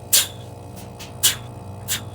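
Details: Samsung RS263TDWP inverter refrigerator not cooling, blowing about 175 psi through high side at filter drier: sharp hissing spurts every half second over low hum as gas forces through restricted capillary tube.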